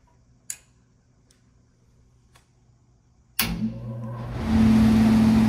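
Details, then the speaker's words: Furnace whose faulty control board would not run the blower, with the fan circuit bypassed by a 90-340 relay: a relay click, then the blower whooshes up to a smooth, steady hum with no grinding. Normal blower operation. "are energized fan is blowing board is bypassed"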